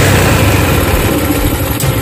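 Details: Carburetted motorcycle that died when throttled, after reassembly; loud steady low putter at even idle, no stumbles or dying off. Normal idle.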